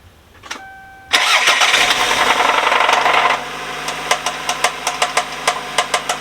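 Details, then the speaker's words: 1991 Toyota Celica GTS that had caught fire, started without the alternator: steady ticking tap about three per second over idle, source unknown; wife suggests a dry water pump. "I was [ __ ] furious because the noise is still there but uh my wife asked well what if it's just the water pump has no coolant in it"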